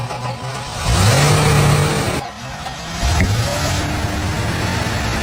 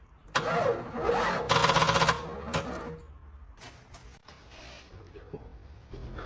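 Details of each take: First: 32-year-old Cadillac Fleetwood Brougham 5.7L V8 after a starter repair and freeing a stuck fuel pump by hammering the tank. Engine catches and takes two clean rev blips that rise and settle smoothly with no stumble or knock; running normally. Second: 32-year-old Cadillac Fleetwood Brougham with a 5.7L V8, cranked on a temporary battery. Short, labored cranking bursts with fast uneven pulses die away without catching. Owner first suspected the battery, but the starter proved faulty, bodged with glue by a previous owner.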